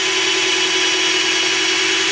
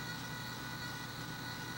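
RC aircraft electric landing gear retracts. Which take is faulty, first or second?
second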